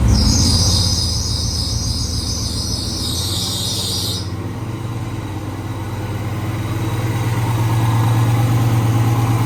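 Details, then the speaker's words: Truck prepped for Sick Week, turbo failed and deleted, oil feed and drain blocked with flanges, no exhaust wheel in the housing: rough loud idle with raspy chuffing as exhaust blows out the open turbo hole. "there's exhaust blowing out of the hole sounds like crap"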